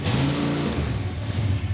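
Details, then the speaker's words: Roadkill mid-engine Mazda minitruck (Mazdarati 2.0), first start with a swapped drivetrain on an E85 tune while running gasoline: the engine stumbles and surges at a lumpy idle, too rich; cutting about 50% from the base fuel map made it run far better. "This thing was on an E85 tune-up, and E85 requires a lot more fuel than gas, so... We took like 50% of the fuel out of the base fuel map."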